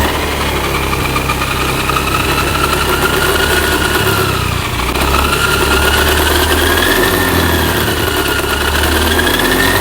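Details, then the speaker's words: Honda Beat ESP K44 scooter before gearbox teardown, running and wheel spun by hand: loud howling whine rising and falling with speed, from the gearbox/final drive, likely worn gear teeth. "Nah, terasa banget itu suara khas dari gearbox. Besar kemungkinan ada beberapa gigi dari gearbox ini yang mengalami keausan."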